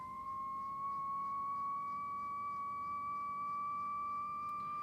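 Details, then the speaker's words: Clansman PRC-320 radio receiving an RF generator test tone near one kilohertz with DC voltage applied to the 3H VFO board; clean steady tone creeping slowly upward as it warms, no wobble, so the synthesizer is judged faulty. "Well, there's the answer. No more wobble. Okay, it's slowly increasing, but it's just moving a little bit with the warming up of the set or the RF generator over there, but there's no wobble, as you can hear."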